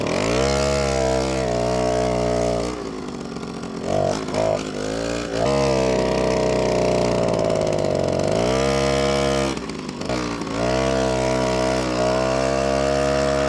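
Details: Old moped, after 5 years sitting in a barn on old fuel, after a spark plug change and slight carburetor adjustment: a crisp two-stroke buzz that picks up cleanly on throttle blips and settles back to a steady idle. It now runs normally.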